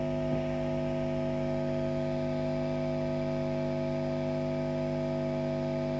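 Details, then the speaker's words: Orange Matamp ORST valve amp, camera near speaker, full volume; loud constant low hum, acceptable at half volume, unacceptable at three-quarters; smoothing/HT caps thought unlikely, ground loop suspected but unconfirmed. "which as you can hear is kind of on the unacceptable level"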